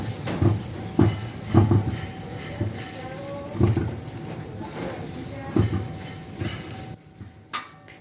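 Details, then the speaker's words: 2011 Kia Sportage Active 2.0 petrol, dry low "cloc cloc" clunks every half second as the steering wheel is rocked side to side from the cabin; excessive lateral play at the wheel, worn inner tie rod (axial) joint. "tiene un sonido el momento que se gira la dirección a un lado y ahora es un sonido un tanto seco cloc cloc"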